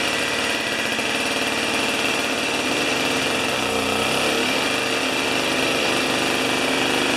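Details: Old two-stroke snow thrower, long stored outdoors, restarted on choke with 40:1 premix: steady, buzzy high-pitched run for several seconds without stumbling or surging; running normally.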